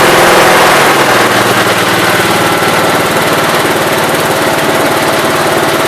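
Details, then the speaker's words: 1969 Gravely 432 after carb adjustment: the idle was adjusted and the main jet, which was out too far, was leaned and the carb cleaned. Steady, even single-cylinder chug with no pops or backfires as it pulls, running well. "so just doing the core of in there pretty good now it's running amazing"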